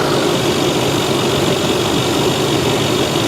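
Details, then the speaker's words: Supercharged 510 hp Range Rover bought from Copart, idling: smooth, even idle with only light injector ticking and the cooling fan running; no timing-chain rattle or supercharger coupler knock, engine sounds healthy. "Listen to how quiet she is. The cooling fan is on. That's about it."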